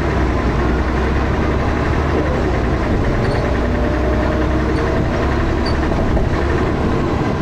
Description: First Manchester Dennis Arrow, with has a loud 'knocking' noise, and also with lots of thrash!